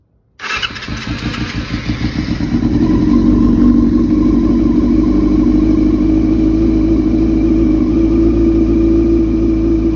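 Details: 2000 Yamaha R6 after diaphragm replacement and carb cleaning: the bike starts, then the idle drifts upward and holds with a steady hum but does not settle; the engine still won't run normally and the cause is not found.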